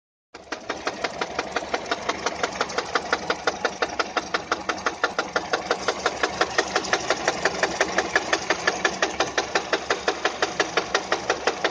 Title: Стук двигателя пежо 207